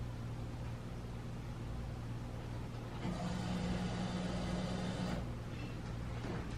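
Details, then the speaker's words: OBS truck V8 on straight headers after computer reprogrammed: deep, steady low rumble with even beat and no misses or knocks; now idles and drives. "well yeah man happy now that it runs the idols and it drives"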